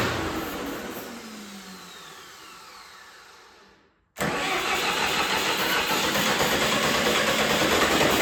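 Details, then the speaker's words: John Deere 450C bulldozer diesel, reassembled, injector lines cracked: steady cranking churn, about three turns a second, no firing; crank no start, no power to fuel pump and fuel shutoff solenoid. "I don't know what's going on. I'm gonna have to figure out why I'm not getting any power to the fuel shutoff solenoid."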